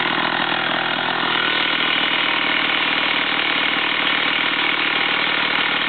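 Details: Stihl 028 AV chainsaw over 30 years old, after carburetor overhaul and adjustment: crisp, steady two-stroke buzz with no surging or stumbling throughout; running healthy.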